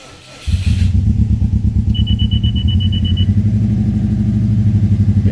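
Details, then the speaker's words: Subaru Impreza WRX bugeye with a rebuilt engine (originally bought with a blown engine) and a new all-stainless exhaust: catches and settles into a deep, even, throbbing boxer burble with a loud exhaust note and no misses. Normal running with a loud aftermarket exhaust. "so this is what she sounds like yeah she's a bit loud"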